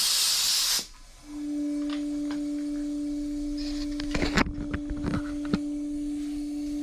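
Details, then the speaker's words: Previously locked-up Suzuki DF6A 6 hp outboard during a compression/leak-down test: a burst of hiss, then a steady whistle out of the crankcase through the oil dipstick, with hardly anything from the carburetor and none from the exhaust. The owner thinks the piston rings are bad. "This is out of the crankcase, so you can check the oil dipstick there. You can hear it. That's not good. Well, there's your problem. I think the rings are bad."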